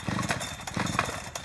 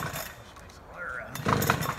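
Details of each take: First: Chainsaw deliberately flooded by pulling with choke out: quick rough pull-start bursts with one weak pop and no run-up, gasoline smell; flooded engine. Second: Chainsaw deliberately flooded by pulling the choke, then choke pushed back in and throttle held: a few quiet pulls, then it catches and settles into a steady, loud high buzz; flooded saw cleared and runs fine.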